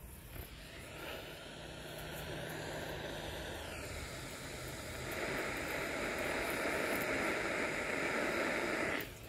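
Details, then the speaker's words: Ultrasonic leak detector probe over a Mitsubishi coil: steady airy hiss brightening and growing louder near the spot, a very small refrigerant leak on the coil. "you can hear it's just a hiss I guess gonna call - hiss it's kind of you got to know what you're listening for"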